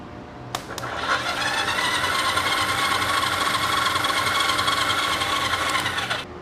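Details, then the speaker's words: 1974 Yamaha TX500 motorcycle parked about 20 years, power sent to the starter solenoid: a click, then a buzzy whirr for about five seconds as the solenoid pulls in and the starter turns. "If I ground out, or if I send power to the solenoid, you'll hear it jump."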